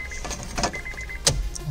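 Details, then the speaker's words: Honda City after fuel pump replacement, key turned on before starting: a thin, high electric whir in short even spells over faint cabin clicks as the new fuel pump primes the system; normal. "ये जो आवाज़ आपको आई है ये fuel pump की होती है, एक दफ़ा दोबारा करो, करो दोबारा। हम कर ही रहे हैं, हम सिस्टम को प्राइम कर रहे हैं ताकि जो पेट्रोल सिस्टम में से निकला हुआ है वापस चला जाए।"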